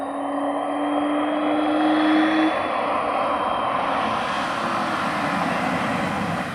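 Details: BMW 320i E36 with M50B20 inline-six, stock apart from a new intake filter, ex-automatic now manual: smooth, even rise in pitch under the intake rush, no knocks or ticks; healthy six revving cleanly.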